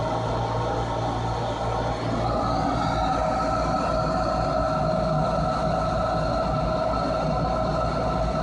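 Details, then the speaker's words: Furnace with a newly replaced draft inducer motor (old one squealed and failed to start): smooth, steady motor hum with even tone, no rattle, scrape or bearing growl; running normally. "let's click on the switch and see if it [Music] works yeah much better"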